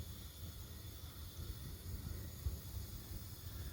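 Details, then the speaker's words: Combi boiler gas burners roar low and steady while the hot tap runs, flames dropping very low, then build back higher after the tap is turned off; the fault behind the low flames is left as a quiz. "now you could hear them burners going on that hub now listen as the Flames start coming back higher and you can hear them"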